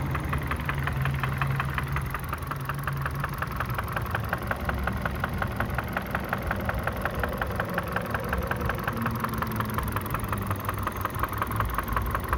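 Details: Kia Ceed 1.6 at 62,000 km idling with a sharp, regular tapping of about three knocks a second over the engine hum. Engine knock of unknown origin.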